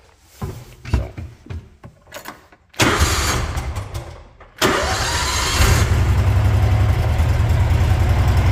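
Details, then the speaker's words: Gator after an oil change, air filter and new spark plugs, started cold; uneven cranking bursts for almost three seconds before it stumbles, catches and settles to a steady idle. Hard cold start, which the owner says is usual. "This thing always runs hard when it's cold, so. But it's running."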